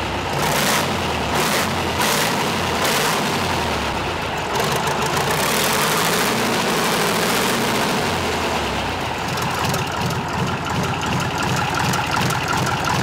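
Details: Freshly overhauled air-cooled Tatra 148 diesel, first start after three years, cold: loud but even deep beat, all cylinders firing, no misses or knocks; white smoke until warm said normal, oil spraying out.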